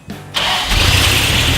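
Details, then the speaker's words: Toyota truck's first start after a new timing set, head reinstall and a swap to a Holley fuel regulator (the old Mr. Gasket regulator was suspected of running issues): short crank, quick catch, then a steady, even idle without misses. "all right an idol it idols good holy crab look at that"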